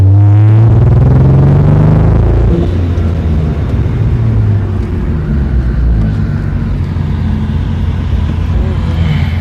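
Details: 2003 Hyundai Tiburon under hard acceleration in 2nd gear, recorded on a phone while driving: engine pulling hard with an uneven, stumbling misfire note.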